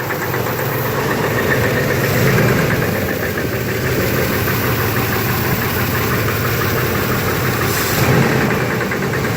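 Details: 1991 Chevy S-10 V6, just bought: at idle a dull, loosely regular knock a few times a second over the engine hum. Owner is unsure whether it comes from the flywheel or the engine.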